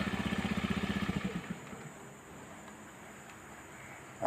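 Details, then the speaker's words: Honda Beat scooter after servicing the starter motor (dinamo starter) and its brushes for rough noise and slow cranking: even, brisk cranking pulses for about 1.5 seconds, then the engine catches and settles. The starter now turns over smoothly with ample torque. "kita starter oke itu teman-teman ya suaranya sudah halus ya kemudian tenaga putarannya untuk memutar mesin sudah cukup besar motornya dengan mudah bisa kita hidupkan"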